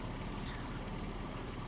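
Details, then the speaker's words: Porsche 986 Boxster after no-start (stalled, owner had replaced MAP sensor) was fixed simply by adding gas: quiet, even, smooth idle with no misses or knocks. "sometimes it just so simply just buy some gas and put in your tank in your car will start and around perfectly and it's ready to drive"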